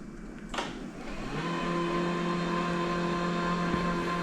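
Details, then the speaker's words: Worn steampunk utility powerchair with deeply discharged 2014-era MK batteries under recovery: a click, then the seat lift actuator runs smoothly with a steady, even motor hum, and current rises while it runs. "okay you can see our amperage goes up there while the seat lift is"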